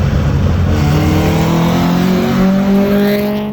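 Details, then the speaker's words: Nissan SSS Pulsar with cracked headers, loose header bolts and a failed gasket: a raspy, rough engine note climbs under throttle, with the exhaust leak heard from the front. "as you can see it just sounds like so bad with that exhaust leak"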